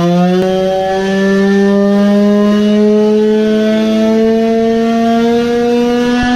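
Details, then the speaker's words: Tuned two-stroke moped engine (targeting 20 hp) tested with both transfer ducts fully plugged; steady high-pitched wail, fairly clean with little misfire but flat, measuring 7.1 hp while revving near 15000 rpm, power loss from blocked transfer ports. "now it clearly sounded like it was weaker maybe we have 20hp now when half of the ducts are plugged? 7.1hp."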